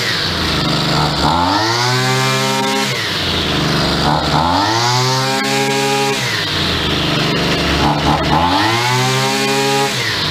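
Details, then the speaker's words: CG330 brushcutter rescued from the dump, after new carburetor, gasket and spark plug and repaired intake pipe; small two-stroke blips cleanly from idle to high revs and back, idle slightly high; runs properly again. "donc pour environ 25 euros on a une machine qui fonctionne de nouveau"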